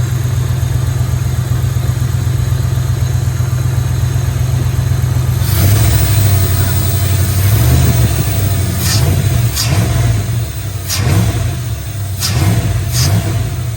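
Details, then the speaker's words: 1997 Dodge Ram V8 after new spark plugs (.035 in gap): a steady low rumble with a few clean throttle blips that pick up crisply and settle evenly. It runs smoothly with no miss and sounds much better. "I think it sounds a lot better."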